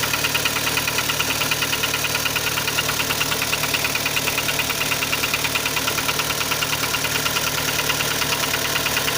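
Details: Kia Sportage 3 at idle: steady ticking knock about three per second over smooth idle; engine knock, louder cold and quieter warm, present at low speeds, gone at 60-90 km/h, returns on re-acceleration; source unknown.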